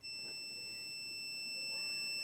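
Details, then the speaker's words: Multimeter in continuity mode gives a steady high-pitched beep across the closed contact points of a Land Rover distributor while setting static ignition timing, no battery connected; the contacts are then turned clockwise until the points just open. "so I'm going to use my multimeter in noisy mode, continuity mode. This just makes a noise when there's continuity."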